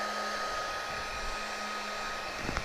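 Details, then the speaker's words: Bauer 20V battery heat gun at about 11 minutes of runtime, battery down to one bar: steady blower whir with a soft motor tone, running a little slow and subdued as the fan loses speed but still blowing plenty of heat. "i think i can hear this unit slowing down right now we're at about 11 minutes of runtime"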